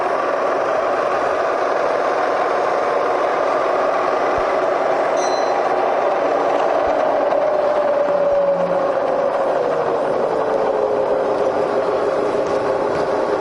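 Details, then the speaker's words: Serviced Bridgeport Vari-Speed milling head slowed from near top speed down through about 1,000 rpm toward slowest: quiet even hum sliding smoothly lower, no knocking, grinding or whine; normal running. "see 1,000 RPM it's it's really nice really"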